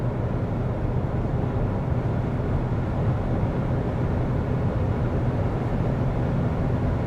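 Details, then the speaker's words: Lixiang cabin at highway speed in a wet-weather test, door seals taped over: steady low road rumble with no humming or whistling, the wind hum that appears at 130-140 km/h gone. "абсолютная тишина Ватсон"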